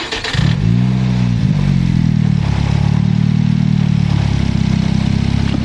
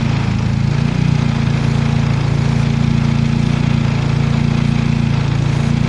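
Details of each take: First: Turbocharged car, after fixing a vacuum leak for P0507 high idle: engine catches, flares, then settles to low steady idle, below 1,000 rpm versus above before; no hiss or hunting, fixed. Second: Turbocharged car with P0507 high-idle code: steady fast idle, no stumble; brake parts cleaner sprayed on vacuum hoses changed idle at white T fitting, suspected vacuum leak added with turbo plumbing.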